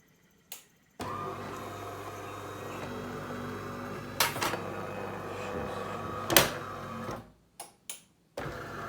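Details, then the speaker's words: DeLonghi Magnifica Pronto Cappuccino coffee machine: the motor drones with a strained tone, broken by two sharp knocks and clicks. Over time it developed strong squeaking with impacts, fixed by greasing the brew unit's worm drive with silicone lubricant. "со временем стало очень сильно скрепить прям с такими вот ударами как будто там металлопластик"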